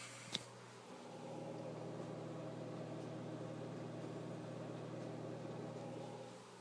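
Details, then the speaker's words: Drobo 5N NAS powered on, recorded with other computers turned off: faint steady low hum and an even airy hiss of a slow fan, plus some hard drive noise, with no ticking or rubbing. Quiet, normal fan. "does barely make any noise just some quiet um slow fan noise and some hard drive noise but depending on your hard drives it might be not not noticeable uh so just some quiet fan noise"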